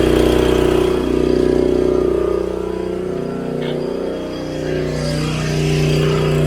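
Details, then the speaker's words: Long-stored generator, starting but not producing power, brought up to speed: a steady, even drone at governed speed with regular firing and no misses or surging. "that's all she needed"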